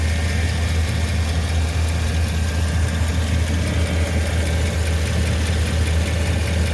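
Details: 2009 Chevy 2500HD 6.0L V8 at idle with cylinder 5 misfire (P0305): deep uneven beat with a faint light tick, caused by a stuck exhaust lifter on cylinder 5, cam bearing stuck on journal, and a leaking exhaust flange gasket.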